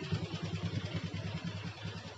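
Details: Yamaha Jupiter MX that started then died, after fixing a pinched, heat-damaged vacuum hose to the carburetor: quiet steady low putter, even firing, no hunting; normal idle.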